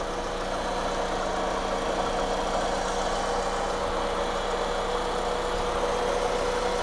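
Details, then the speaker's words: Mitsubishi Galant GTI after engine rebuild, first start, with old servo still fitted before replacement. Smooth, even idle with a steady hum and no knocks or misses; clean and quiet. "Oh, malinis ah. Linis oh. Pino. Unang start. Ganda. Tahimik naman."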